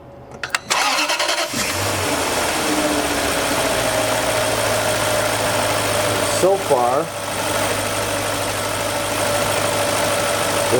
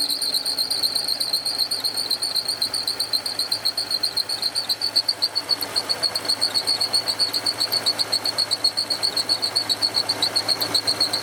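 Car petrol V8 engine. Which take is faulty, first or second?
second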